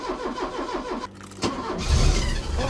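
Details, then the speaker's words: Porsche 944, off the road five years, just after replacing parts at the back of the engine: starter cranks briefly in a quick rhythmic churn, then engine catches into a rough, rising idle; normal start, with a budgie-like sound noted. "I honestly can't believe we got her running sounds a bit like a Budgy but she's running"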